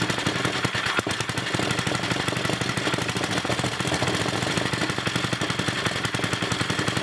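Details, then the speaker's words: First test run of a brand-new NOS Briggs & Stratton 5HP block on a 1980 Montgomery Wards 2200 W generator: fast, sharp, evenly spaced firing beats at a steady pace without stumbling. Running normally. "it should be set to idle so I hope it don't try to race or nothing we know everything is drying the motor brand-new motor so we'll see what happens here"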